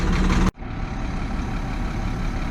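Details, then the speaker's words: 2002 International DT466E school bus diesel, which used to die after 20–30 minutes warm with low injection control pressure codes, after a suspected IPR fix: after a short loud burst, a low even rumble idles steadily 45 minutes in without stalling. "All right, it's been 45 minutes running and the bus hasn't died on me. I'm gonna leave it to run more, but it's promising."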